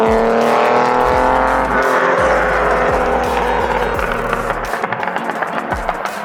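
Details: 280ZX with a 3.0L stroker engine, tuned after a new crank angle sensor: hard, crisp exhaust note at wide-open throttle, pulling cleanly and evenly with no misses; running right.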